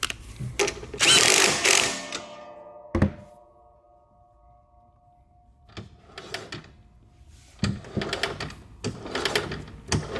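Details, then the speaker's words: Toro Timemaster mower raised and rear wheel hand-spun after fixing a slightly out-of-round rear wheel: the rear shield no longer pops, only light gear-against-gear clatter; normal. "okay the shield no longer pops as we spin you can see it nice and quiet all we here is his gears against gear the other way"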